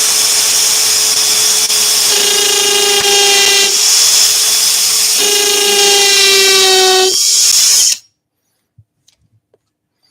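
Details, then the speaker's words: Drill on its high-speed setting with a brad point bit, only the end of the bit held in the chuck, drilling a hole in a scroll-saw castle piece: loud, piercing ringing whine wavering between bursts, with some reverb; the bit chatters from the shallow grip. "So I've only just got the end of the drill bit in the chuck there, and that's why it's making that noise. You're getting a little bit of a reverb off it."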